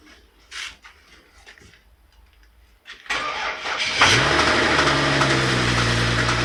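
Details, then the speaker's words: BMW X6 engine started after topping up a litre of oil: cranks, fires, then a steady deep knock in time with idle from low in the block; stethoscope points to worn connecting rod bearings, owner suspects. "пока все сводится к тому что стук идет снизу как бы у нее не заскучали шатуны"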